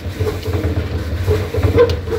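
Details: LG DLE2516W clothes dryer with sudden thump-thump: drum turns with low steady rumble and short squeaks each turn; cause found as worn, degraded drum roller wheel with blackened debris. Worn drum roller.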